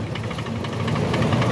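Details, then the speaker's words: Suzuki Wagon R petrol engine idling unevenly with a lumpy, stumbling beat and heavy vibration from a misfire; it also drops revs, and oil-fouled parts were found for cleaning. "Race लेना भी छोड़ रही है और vibrate भी कर रही है"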